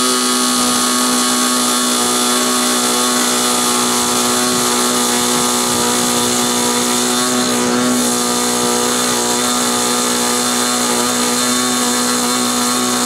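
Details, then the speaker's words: SIG Kadet LT-40 model aircraft glow engine during break-in: steady buzzing drone with a slightly blubbery edge and no clean peak; mixture too rich. "realized that uh what was going on um was it was too rich"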